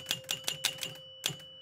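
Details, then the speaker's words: Gottlieb 1975 Spirit of 76 electromechanical pinball, after repair where hundreds reel failed to carry into thousands: five sharp clacks, a chime, one more clack; score reels now step and carry over normally. "this is the big test cuz the hundreds was not incrementing the thousands see this thousands unit should increment y so it increments now"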